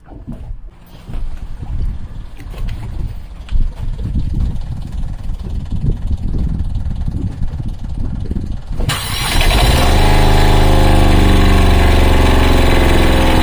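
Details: Fischer Panda 8K diesel generator on a Grady White 330, after bleeding and refilling the overheating cooling system and heat exchanger: clatter, then it fires and settles into a steady, even drone with no knocks or hunting, running normally with good voltage.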